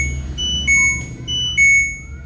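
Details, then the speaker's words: LG Smart Inverter washing machine after replacing two burnt A1015 PNP transistors on the inverter module (dead-unit fault): clear, loud high-pitched power-up beeps in a short pattern, previously faint with an error; normal power-on beep. "dan suaranya juga udah kenceng gitu ya."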